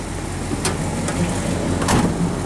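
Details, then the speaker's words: Ford 360 FE V8, Motorcraft 2100 2bbl, after regapping Autolite 45 plugs wider and vacuum-gauge tune, idle about 600 rpm and steadier: throttle blips pick up cleanly, even rumble without stumble, popping or misfire; running right. "Give it some throttle. See how it [Music] sounds. Wow."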